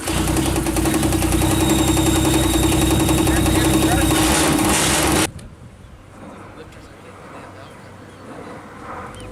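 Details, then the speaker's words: 1962 Ford Falcon engine after rebuild, failed during break-in: sharp, regular knocking about three or four a second over a rough run until shutoff; engine not yet opened; crankshaft hitting a dented oil pan. "haven't opened up the engine or anything but that kind of sucked that uh there's a pretty bad knock"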